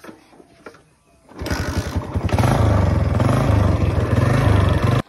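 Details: Modified motorcycle after engine opened and reassembled, oil filled and leak fixed: engine catches first try and settles into an even, steady beat, no knocking or scraping; bottom end sounds fine, normal start and idle.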